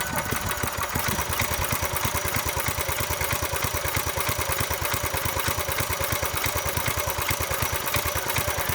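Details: Small single-cylinder tiller engine, after about 20 years sitting, restarted after being shut off with the stop lever and given gas; even, steady putter with regular firing and no misses or knocks: normal idle.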